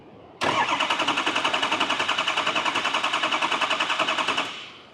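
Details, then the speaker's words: 2003 Ford Excursion 6.0 diesel cranking after the harness and glow plug connectors were reconnected and fuel pressure was built. Steady, even cranking at about 3.5 turns per second with strong, consistent compression pulses; it sounds far better than before. "this sounds way better than it did I will definitely tell you that"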